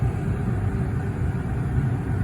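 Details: 2003 Mercury Marauder V8 idling warm after its air-locked cooling system was vacuum-filled and the heater core feed tube partially eliminated, a low steady rumble with no ticks, surging or hiss; it has run for two hours with the temperature needle steady.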